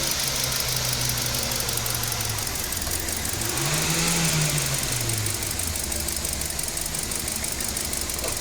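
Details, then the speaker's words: Kia Picanto with check engine light and code P0303: uneven idle with a steady stumble about four times a second, persisting through a brief rev, engine vibrating; cylinder 3 misfire, abnormal voltage found in its coil/injector circuit. "A start है engine एकदम vibration कर रहा है एकदम ल रहा है"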